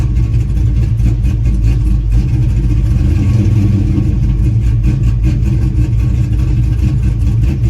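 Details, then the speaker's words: Pontiac GTO, warm, after new spark plugs: rough, lumpy idle, and light revs that don't pick up cleanly with an occasional miss under wind noise. Owner still hears a stumble off idle; cause unconfirmed until driven. "still think it has a Miss in it um it still sound a little funny I won't know until I drive it so but I still I still kind of hear to stumble in it"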